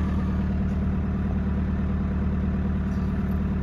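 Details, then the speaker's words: 2003 VW Jetta ALH TDI diesel just after starter replacement, started and idling around 1100 rpm while charging at 13.9 V; steady, even clatter, nothing abnormal: normal idle. "start it right up here we go 13.9 volts we're charging it's in 1100 rpms"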